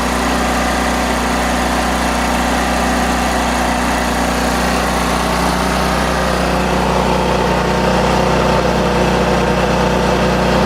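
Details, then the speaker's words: Powerhouse PH3100Ri generator after adding a spring to cure hard starting: starts quickly, then steady even engine drone at constant speed, no misses or knocks; running normally. "Booya boys and girls that's exactly what we were looking for"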